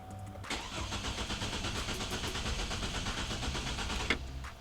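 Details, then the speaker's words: 2004 GMC Envoy with the fuel pump relay pulled, started to bleed fuel-line pressure before fuel pump and filter replacement for a leaking fuel tank/filler inlet: it cranks, catches, runs roughly a few seconds, then cuts out as remaining pressure is used up. "So what we want to do is just start the car and let the car run until it dies, and then that'll bleed all of the pressure out of the fuel lines."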